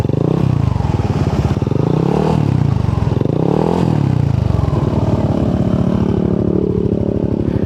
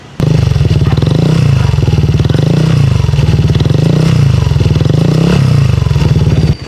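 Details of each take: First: Yamaha NMAX scooter with 4S1M Street Core V3 exhaust after the muffler was repacked with fiber wool and rewelded: two blips, then a steady deep idle with a clean exhaust note, the loud rattle now gone. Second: Yamaha NMAX scooter idling with 4S1M Street Core V3 muffler: loud deep exhaust note with metallic rattle and vibration, caused by insufficient fiber wool packing in the pipe.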